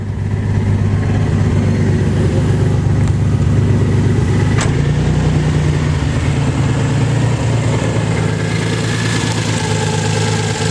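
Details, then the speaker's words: Nissan 300ZX after hydrolock repair and oil change, warm after 20 minutes of idling: steady, even exhaust beat with no knock but idle still high at about 1,000 rpm. "After 20 minutes of idling. Idle is still at about 1,000 revs, give or take."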